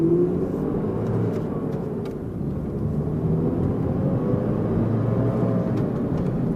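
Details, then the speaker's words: Mercedes W202 driving under throttle after engine mount replacement: a deep, hollow exhaust drone from the burnt-out muffler over a steady whirring roar. The roar is from the viscous fan clutch, which the owner says needs oil topped up. "6 just heard my burnt out muffler and viskomuftu in which I transferred pms 10000 of this oil and which needs to be poured a little because it does not even allow the machine to warm up so well"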